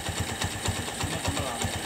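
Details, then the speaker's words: Honda Megapro Primus motorcycle, kick-started after weak battery, idling with steady even low thumping, no knocks or misses; engine healthy, owner attributes stalling/hesitation to fuel flow restricted by dirt. "juga halus ya teman-teman Nah tidak ada tidak ada kendala di bagian mesin"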